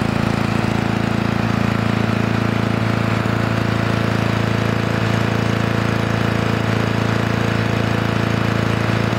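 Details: Restored 1982 Lawn-Boy Scamp model 4503 20-inch push mower, two-stroke on 32:1 premix, new engine parts in break-in: strong, even buzz holding a steady speed with no misses or surging; runs healthy.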